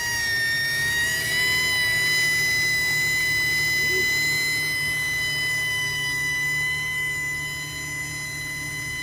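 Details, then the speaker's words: 2007 Infiniti FX, 29,000 miles, engine cover removed: loud, steady high-pitched whistle over the running engine holding pitch; mechanic suspects a vacuum leak, to be checked with codes and fuel trims. "I hear it it sounds like a vacuum leak from experience but I always like to see what the computer is doing"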